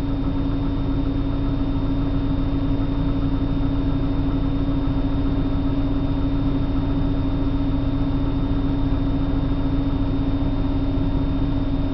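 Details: 1997 BMW 328i six-cylinder on a cold morning start: loping, uneven idle pulse near four beats a second over a steady hum; a rough, unsettled idle.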